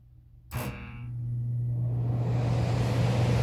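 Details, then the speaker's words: HVAC contactor feeding heat strips: sharp clack at power-on, then steady low hum that never settles; coil weak (2.1 ohms vs about 16 expected), control voltage drops from 26 V to about 11 V, contactor buzzes and needs replacing. "You're going to see the contactor start buzzing because the contact the coil is weak."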